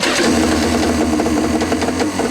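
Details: 1995 Yamaha Wave Raider RA700S 650 waverunner, previously ran only on a prime, after carburetor rebuild with a new kit: starts and runs at a steady, even, buzzing fast idle with no stumbles or misses, running smoothly.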